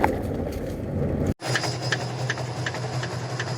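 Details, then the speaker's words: Honda HR-V on shaker test rig, noise only when raining per owner: sharp regular knocks about every half second over steady machine hum, felt mainly at both lower control arms, to be replaced; lower control arm knock. "vou trocar as duas bandejas aqui na hr-v e o que eu percebo põe a mão aqui na bandeja bem baixinho tá eu vou falar que o barulho está vindo principalmente das bandejas que eu tô sentindo aqui"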